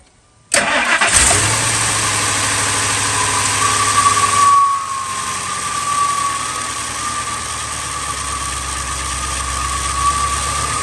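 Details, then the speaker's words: 2000 Ford F250 5.4 2V, cold start in freezing weather the morning after IAC valve and throttle body cleaning: cranks and catches quickly, then a smooth, even idle without hunting; much better, though fuel trims show it running lean. "good noise aome you guys see it's running much better much better"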